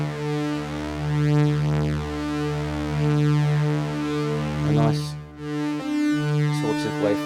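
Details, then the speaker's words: Yamaha CS-40M synth after fixing a waveform switching fault traced to the output switch: sustained notes clean and stable, proper triangle wave instead of the chopped waveform; oscillator now sounds normal. "we've got a proper triangle wave off it now and not that chopped off waveform that we're getting before which is obviously something to do with the the switch connected on the output to it and if we have a quick listen it sounds much better"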